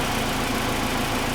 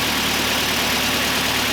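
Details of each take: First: Kia Sportage after cylinder head rebuild, warm after a drive: smooth even idle with soft steady patter, no sharp top-end ticking; lifters refilled, valve train quieted, normal idle. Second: Kia Sportage just after cylinder head rebuild and install, fresh oil and coolant, first start recorded on camera mic: fast busy ticking over steady idle; hydraulic lifters pumped down after being disassembled and cleaned, noisy until oil fills them.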